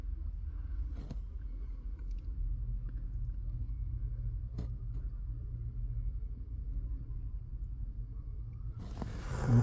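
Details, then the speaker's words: Hyundai Creta 2018, 112,000 km, G4FG 1.6L, after fix of steering knock (worn steering shaft joint whose clamp bolt lacked torque, retightened): steady low rumble, few soft thumps, no sharp knock or noise through steering; steering tight and healthy. "такие дела Ну сейчас соответственно не стучит не шумит"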